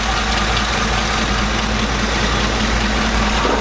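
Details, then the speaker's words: Chevrolet Silverado/Sierra V8 idling steady and even with a smooth low rumble and no misses, after the original breather line was reinstalled in place of a cheap eBay oil catch can that made it stall. Owner suspects the catch can's breather caused a vacuum leak. Normal idle. "Alright, well I got the old line back on and it's running fine, so I honestly have no idea what the hell is going on."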